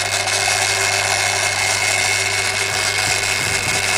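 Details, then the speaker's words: Daiwa DR-7500 antenna rotator (Kenpro KR-400 equivalent), refurbished and upgraded internals: steady motor whir with constant gear hum, no clunks or grinding; these rotators have always been a bit noisy from their gear setup; normal gear noise. "we've noticed they've always been a bit on the noisy side and the gears are set up in these things so it is what it is"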